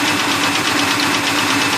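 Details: 2003 Ford Taurus misfire, removing plug wires one at a time at the coil pack: uneven lumpy idle with a steady pulsing beat, unchanged with this wire off despite spark, so that cylinder is already dead; suspected, unconfirmed.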